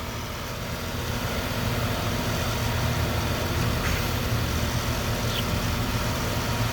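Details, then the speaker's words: 2013 Dodge 5.7 Hemi V8 idling, passenger valve cover removed, faint quick tick that starts after running a while; pushrod spins and isn't bent, so a dead (collapsed) lifter, common on Hemis. "push rod is moving with it you can spin the push rod it doesn't seem to be bent it's going to be a dead lifter pretty common on a hemi"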